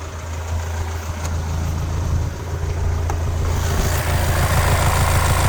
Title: VW TRANSPORTER T6 - CXHA engine for a VW Transporter 2.0 TDI Euro 6, 150 PS strange noise 2